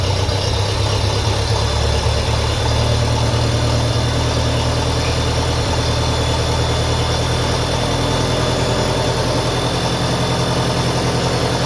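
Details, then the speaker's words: 1957 Ferguson FE35 TVO tractor at idle after a quick retightening: low, uneven chug with a thin high whine or whistle still present. Owner suspects an air leak. "Still something whining there. Sounds like an air leak."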